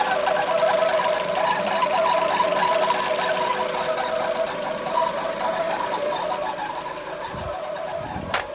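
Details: Citroen C5 heard after a repair: a fast, fairly regular ticking rattle, about three per second, over a steady engine run. Abnormal noise, source unclear.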